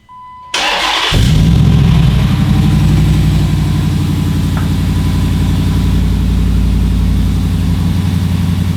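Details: Hemi-swapped Jeep Wrangler after power steering pump and reservoir kit install, mic aimed at rear exhaust: starter whirs briefly, V8 catches and settles into a steady, deep exhaust rumble with no knocks or misses.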